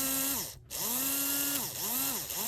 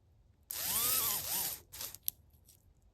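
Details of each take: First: HO scale brass Union Pacific FEF-3 4-8-4 #840 model locomotive after cleaning and oiling: small motor whines evenly, pitch sweeping smoothly with speed, no catching or rattle; running better than before. Normal motor run. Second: HO scale brass Union Pacific FEF-3 4-8-4 #840 model locomotive held by hand on plastic: motor whirs in a wavering, sagging whine, cutting out and stuttering, wants to run but struggles; owner thinks it needs cleaning, especially the wheels.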